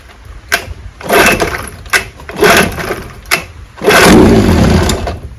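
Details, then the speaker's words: Suspected weak magneto ignition on a 1968 Evinrude 9.5 HP outboard (restore) being started in the water. Several pulls give brief sputtering catches, then a longer burst that fades and dies; it needed choke. The owner suspects intermittent magneto spark. "it tries to start and then dies I think if I had to say it's the Magneto that intermittent spark"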